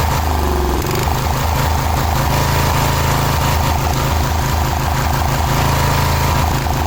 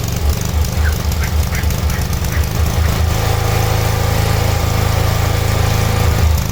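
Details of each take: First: Cub Cadet 1106 riding lawn tractor (1987; listed as 1986), sat over 4 years: slow, lumpy idle chugging about four beats a second, nearly stalling. Very low idle; carburetor needs more tuning, otherwise running pretty good. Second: Cub Cadet 1106 riding lawn tractor (1986 or 1987), sat over four years, on a function test after revival: small single thumps along at an even four beats a second, then smooths into a steady drone; runs normally.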